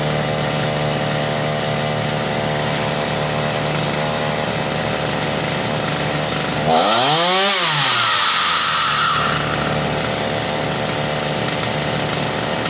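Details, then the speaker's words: Ryobi RY3714 chainsaw, carb likely tampered by customer; fast buzzy idle, revs up and drops back, bogs when idle screw turned fully down; high-speed screw tweaked, low screw counterclockwise to richen and lower idle; high idle. "wow oh you see when i got the idle all the way down it bogged a little bit so i went to the high end and turned it just slightly to get rid of the bog a little bit"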